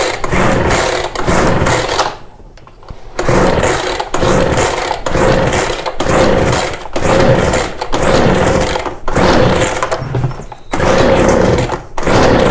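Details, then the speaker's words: Ryobi BR42 backpack blower that sat one to two years, pull-started with choke: repeated cord cranks about every two seconds, short whirring rasps that never catch. No start after storage; carb fuel pump diaphragm hardened and stuck. "there's probably just some old cruddy fuel in there and that's what's causing it not to run"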